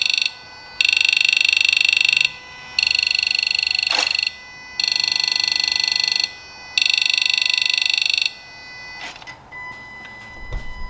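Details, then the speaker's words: Ford Ranger 2.2/3.2 diesel, Forscan injector buzz self-test in park: four matching buzzing bursts, each about 1.5 seconds, same pitch and strength; injectors all firing evenly, normal. "so as you could hear by that injector test each one sounded just like the other there weren't any set of this you know inconsistencies or anything with the sound each one as it fired sounded exactly like the one next to it"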